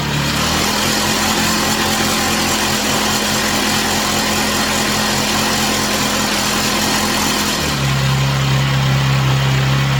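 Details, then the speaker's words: Chinese/Amazon mini bike's small single-cylinder engine on first start after fresh oil, run on a table: steady even putter settling to a stable tick-over, no misses or knocks, rear tire spinning; normal idle. "So it's running nice and smooth. The smoke stops. The back tire spinning."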